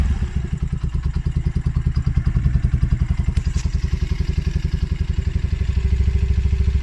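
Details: Polaris Outlaw 50cc quad after carb cleaning and clearing a built-up pilot jet: the single cylinder idles with a steady, even putter of about 160 beats a minute, revs lifted slightly on choke; runs cleanly.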